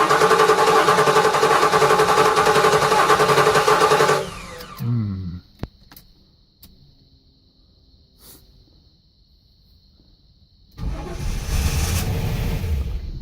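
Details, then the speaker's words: 1983 Buick LeSabre wagon with swapped LT1 V8, first start, no serpentine belt: fires and runs smoothly about four seconds then cuts dead. "Aha. It ran, but it shut right off. Well, might just not have had enough fuel in it yet."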